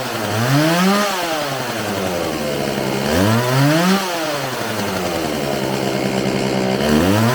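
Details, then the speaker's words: Homelite 4620c chainsaw after recoil repair, carburetor cleaning and new fuel lines: revs sweep up and down, engine stumbles briefly when throttle is released before settling; carb adjustment planned. Hesitation off throttle. "all right it seems like it has a little bit of hesitation off the throttle so i'm gonna adjust this a little bit and see if i can't get any better"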